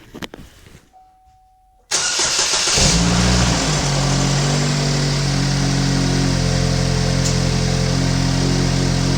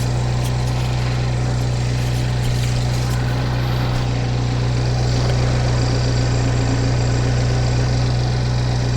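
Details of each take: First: 2015 GMC Terrain with a P0010 code: the starter whirs, the engine catches and settles into a raspy, puffing idle with a steady hum. Exhaust is escaping from a split in the side of the muffler. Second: 2015 GMC Terrain petrol engine idling quietly and smoothly, steady low hum with no knocks, ticks or misses; mic outside on the car, exhaust leak noted at the muffler, air filter due for replacement; sounds healthy.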